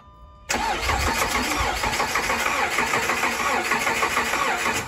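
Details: Dodge Charger that broke down on the highway, with battery recharged: starter spins the engine evenly at about three turns a second, but it never catches. Cranks but won't start, cause not yet found.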